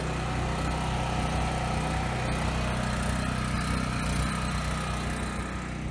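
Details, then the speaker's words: 7-year-old Husky generator, Subaru EX30 engine, after carburetor rebuild for no-load surging: steady, even drone with no hunting or surging under two 1500 W loads; runs smooth. "Alright, so I got a 1500 watt load there, and a 1500 watt load there. Runs smooth under load."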